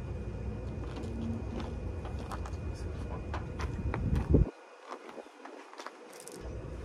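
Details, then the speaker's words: Forgotten 1954 Ford Mainline, spark checked while cranking: uneven cranking at about three to four turns a second for four seconds, never firing; no spark, so no start. "big surprise no spark"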